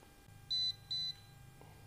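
Two short, clean high-pitched beeps about a third of a second apart; the voltage tester powers up and is working properly.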